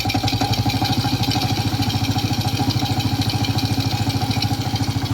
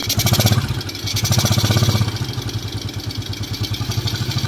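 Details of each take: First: Old Suzuki Smash motorcycle engine at low idle with a very rough, hard rhythmic klok-klok knock that speeds up and slows with RPM and is clear at low RPM; crankshaft bearing knock with loose clutch housing. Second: Old Suzuki Smash motorcycle after repair for rough, knocking engine (parts replaced), first test: idles evenly with steady low beat and light intake hiss from carburetor without air filter, no knocking; normal smooth idle.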